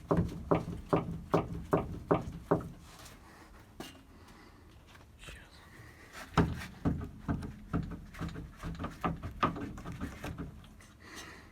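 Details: Car's worn middle steering tie rod (center link) rocked by hand: sharp metallic clunks about two a second, heard as a suspension knock. The link is worn out and replaced.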